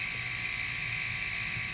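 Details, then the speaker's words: Homemade silent airbrush compressor with copper lines runs very quietly: soft steady air hiss going into the tank with a faint low motor buzz underneath; normal operation. "very quiet here a little buzz in there i think that's the motor running now"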